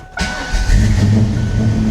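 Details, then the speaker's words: 1994 Ford Mustang GT, supercharged 347 stroker, flooded by saltwater in a hurricane: engine catches into a rough low drone with a thin squeal; the noise is not the supercharger but the smog pump, seized from being underwater. "it turns out is not the supercharger after all that was making all that noise it's the smog pump the smog pump is locked up from being under"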